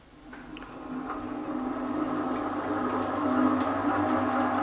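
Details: Elliott 10M shaper after idler repair, test run: spins up to a steady, even hum with a faint regular tick about four per second; running smoothly, slight squeak possibly from the belt.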